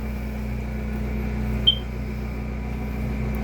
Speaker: Sounds like I got to change the battery in the smoke detector.